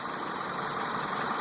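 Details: 2002 Mitsubishi Lancer, 152,000 miles, after new fuses, spark plugs, cleaned air intake and throttle body and new mass air flow sensor that fixed bad idle/no start: smooth steady idle hum with no stumbles or hunting.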